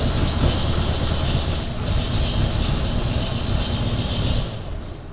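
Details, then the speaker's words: 1932 Nash 990 Series with dual-point distributor and 16 plugs, during tune-up with new points, started on the left bank only: uneven, lumpy low thumping that never settles; running rough, cause unclear, to be smoothed before fitting right bank. "something's out of whack ain't very smooth running though yeah we need to see if we can smooth it out before we get the right side on there"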